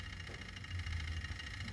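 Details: Toyota Hilux KUN26 3.0 L turbo diesel, earlier low power and no boost with codes P0047/P2564/P2588, solved by a turbo driver module. Steady low idle with faint fast chatter from the turbo actuator stepper motor; even and settled, normal idle.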